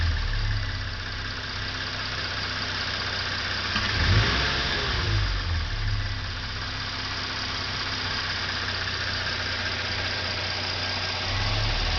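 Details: 2013 Hyundai Genesis Coupe 3.8 GDI V6 at warm idle: a light throttle blip brings a dull clunk-click from the throttle body.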